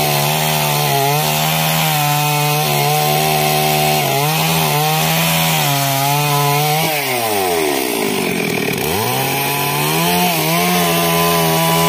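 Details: Stihl MS 382 chainsaw after no-start problem fix: blips up and down crisply from idle, pulls down under the cut and recovers cleanly; engine running strong and responsive, normal running.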